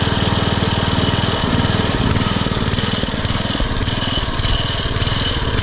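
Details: Poulan/Weed Eater VIP garden tiller with 5 HP Briggs & Stratton single-cylinder, 15+ years old and unused over a year, warming up before tune-up: idle beat speeds up and slows unevenly; surging idle from carburetor mixture, fixed by minor mixture-screw adjustment plus new plug, filter and oil.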